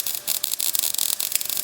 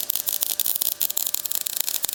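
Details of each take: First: MIG welding thick steel for custom running board drop-down supports on a 1956 International COE rat rod: hissing arc with irregular crackle over a gap, softening to a smoother fry as the bead fills it; normal weld, no burn-through. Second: MIG welding thick steel for running boards on a 1956 International COE truck frame, with the welder set hot and fast: harsh, spitting crackle with irregular pops while bridging a gap in the joint, going softer once the gap fills.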